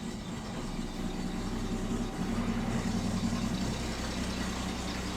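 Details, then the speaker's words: 1967 Mustang 200 CID inline six, first start after installing a new timing chain, cover and crankshaft balancer: quiet idle with an uneven, lumpy, wandering pulse of two to three beats a second; runs rough. "got her started. Seemed a little rough."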